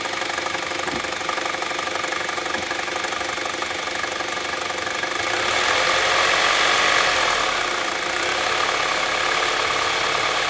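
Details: Saab 9-3 SportSedan: regular sharp ticking knock about four per second over the idle, getting louder as revs rise. Strange, unexplained knock-like engine noise.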